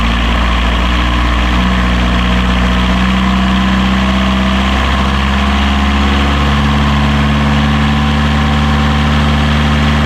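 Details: Healthy diesel genset idling on catamaran Marram, bench-tested and reinstalled in its locker, restarted during lithium battery bank commissioning after checking for reverse voltage; deep, constant even hum, no knocks or misses.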